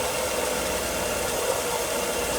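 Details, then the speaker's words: Mercedes W124 M103 being tested for random overheating after cooling system work, cold start: steady whirring hiss over cold idle; secondary air pump running normally. "Got the air pump going, you can hear it."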